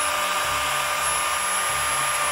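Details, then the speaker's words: Parkside (Lidl) Dremel-style multitool after a hose clamp reshaped its out-of-round housing so the fan stopped rubbing: steady high-pitched whine at constant speed, no rubbing or scraping; normal running after repair. "là je peux régler maintenant l'intensité que je veux, du moins la vitesse de rotation. Et là je suis au maximum et on n'entend plus du tout le bruit."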